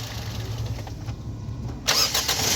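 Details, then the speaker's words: Toyota Corolla (2009–2014) after fixing a starter motor that would not crank the engine: brief crank, then the engine catches and settles into a steady, even idle. Normal start and idle. "अभी self लगा रहे हैं तो अभी आप check कीजिएगा इंशाल्लाह गाड़ी जो है बिल्कुल ओके है ठीक है बैंड करके फिर लगे हैं गाड़ी बिल्कुल ओके दोबारा लगे"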